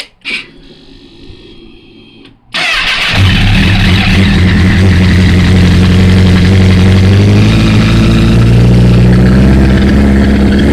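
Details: 2008 Honda CBR1000RR started again after a thud while shifting into third gear accelerating onto the interstate: a loud, steady, rapid clacking about three times a second. White smoke rose from the triple tree area under hard acceleration.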